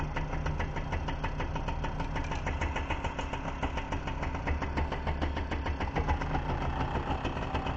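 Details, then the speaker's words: Rebuilt MBK/Motobécane AV10 two-stroke moped engine, first start on the workbench after top-end and ignition rebuild: quick even putter at idle; the light rattle is the jack stand and workbench vibrating. "You see, it's running quite well, eh. It's the vibrations of the jack stand on the workbench."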